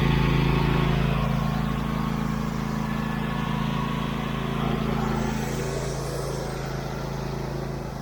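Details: Husqvarna YTH24V48 twin-cylinder riding mower after fitting the missing spark plug and replacing the cracked fuel pump vacuum line, started on choke and test driven; steady even putter, no misses or knocks: normal running.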